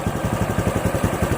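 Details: RS 125 FI single-cylinder motorcycle with new throttle body, spark plug and fuel filter, losing RPM and power on acceleration; uneven lumpy idle with skipped pulses, ignition misfire suspected and traced to a faulty spark plug cap.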